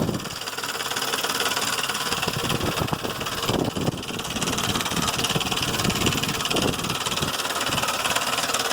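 At idle a quick, uneven ticking, roughly three or four a second, runs over the engine; it could be lifters or timing chain.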